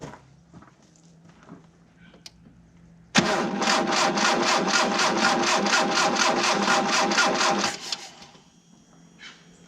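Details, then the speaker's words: 1987 Mitsubishi Sigma, 2.6 L Astron, low km, unrun about 20 years: steady even cranking about two turns a second for four seconds, no firing; no spark at test plug, Bosch distributor ignition module failed. "No spark. Awesome."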